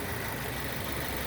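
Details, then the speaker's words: 2006 Nissan Y11 AD, QG15 e-throttle engine idling as scan tool commands VVT down to 0, idle audibly changing; vacuum stabilizes to normal, about 20. Even, settled idle, smooth low drone, no misses or knocks: normal idle. "Right, and you can hear the idle change, but also watch the pulse width on the signal changing."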